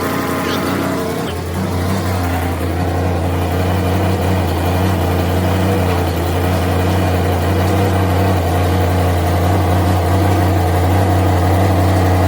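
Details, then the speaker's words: Exhaust leaks on a 1979 GMC Caballero (G-body) big block V8: rough, chuffing idle with a tractor-like pulse about three per second, from a loose header-to-exhaust donut joint. "basically he has a pretty bad or a series of pretty bad exhaust leaks"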